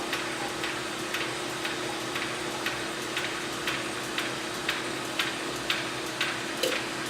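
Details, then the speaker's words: Neptune diaphragm pump with outlet valve closed against it: steady pump hum with sharp ticking about twice a second as the internal relief valve pops off at 200 psi, flow stops and oil bypasses to the gearbox. "See the flow? No more flow, and the relief valve is popping off at 200 psi."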